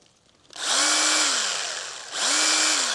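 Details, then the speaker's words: Stihl GTA 26 battery garden pruner mini chainsaw, chain at loosest adjustment, after adding chain oil: two short runs, motor tone climbs quickly, holds evenly and winds down over clean chain hiss; runs much better with oil. "Sounds much better. So I would say keep your oil by the ready for you."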